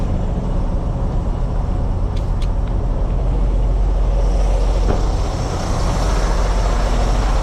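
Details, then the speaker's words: Diesel semi truck after a no-start, jump-started with batteries down to about 11.3 V (owner probably left something on): deep, steady diesel rumble with no misses or knocks at idle; normal idle. "Up and running. I don't know, he's got to keep it running for a while."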